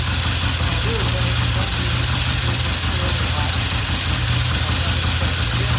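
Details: 1960 Triumph 350cc 3TA twin after valve adjustment (135 compression), restarted with a battery connected: a steady, even low idle thump with no knocks or misses; it runs clean.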